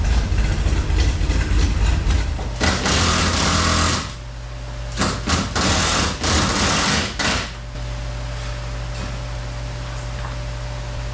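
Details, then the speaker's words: Electric circulation fan motor running in a shop, heard from outside the building: steady low hum with a thin whine on top; the motor has become noisy, may be replaced. "Except this motor has gotten kind of noisy. I don't know if you hear that. And that's what it sounds like on the outside of the building."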